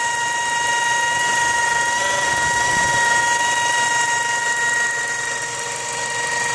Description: Mazda 6 2004 wining noise please help.